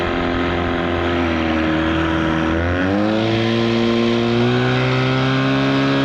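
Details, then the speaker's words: 1979 Evinrude/Johnson 35hp outboard under way, run without the air cover: strong steady two-stroke drone rising cleanly as throttle opens, no misses; seemed to run perfectly fine. "well that seemed to run perfectly fine without the air cleaner"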